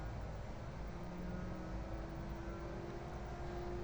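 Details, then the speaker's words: Cooling fan of a 5000 W inverter with ATS and MPPT, set to standby speed: a low, even whirr with a faint steady tone and no rubbing or ticking. Auto mode runs the fan low from 30°C, rising to high by 45°C. "Jadi standby kipasnya."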